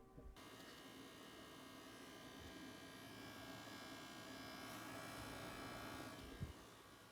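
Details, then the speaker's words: PS5 console: harsh, chainsaw-like buzz with a raspy high edge droning steadily from the bottom rear, not the fan, growing louder and audible from 8 feet; likely coil whine, console returned. "So right, guys, as you can see, that's a pretty loud noise. And it's, as you can see, it was like a chainsaw type of noise. And a lot of people are saying that's basically coil whine."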